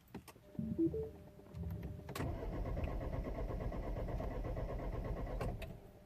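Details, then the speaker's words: 2010 Mini Cooper S, 1.6 N14 engine, non-runner: starter spins engine at steady even rhythm about three seconds without firing; cranks but won't start, no crankshaft or camshaft speed signal reaching the DME. "sure you could hear the engine cranking right it doesn't start now now so yeah so this is how the car reacts"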